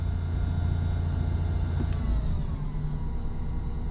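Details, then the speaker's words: 2003 Ford F-150 4.2-litre engine idling: steady high whine over the engine noise, unsure if belt train or synchronizer; serpentine belt to be removed to test — failed idler pulley bearing, replaced. "And that's unusual. That's over and above the engine noise."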